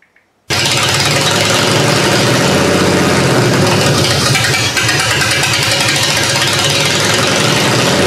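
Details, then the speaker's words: GM 3100 V6 in a Camry derby car, after checking firing order, runs better but still rough: busy, slightly uneven idle with a ragged beat; owner suspects almost two-year-old gasoline is a main cause. "well I've got it running better it still doesn't sound that right to me I know there's a couple issues still with this one being that gas is almost two years old"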